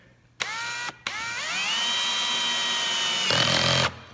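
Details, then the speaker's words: Drill driving a screw with the clutch at setting 30: motor whine spins up and holds, then rapid rattling clicking as the clutch slips; setting could be raised, later tried at 50. "clicking that you just heard okay that's that 30 think that 30 setting on our clutch and so I could turn that up if I didn't think that was tight"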